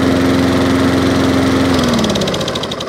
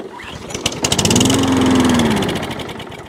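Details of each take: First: Free 21-inch Wolf lawnmower, back running after a fix; single-cylinder engine runs with steady even beat and fast firing, then eases down slightly; normal running. Drive not working, possibly belt. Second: Wolf lawnmower of about 21 inches, carb already cleaned: with carburetor spray it catches, pops quickly about two seconds, then dies; fuel starvation, suspected primer bulb problem.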